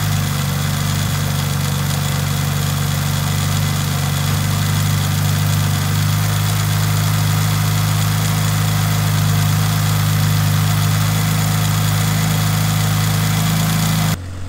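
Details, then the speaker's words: Mitsubishi Lancer Evo 5 rebuilt 2.37 stroker 4G63T engine, first start, cold, no fault codes: steady, deep, even idle with a low drone, no knocks or misses, quiet. Normal idle after rebuild. "the engines running you didn't hear our Quay is running absolutely mint so just gonna warm it out now"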